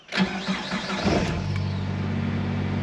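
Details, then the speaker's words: VW Cabrio during idle relearn test after idle surging: engine catches with a quick flare, then holds a steady fast idle around 1,400 rpm after restart, above the under-1,200 target; high idle. "all right turned it off turned it back on and now it's idling at about 1,400 restarted the test here it wants it at under 12200 it said and obviously we're a little above that"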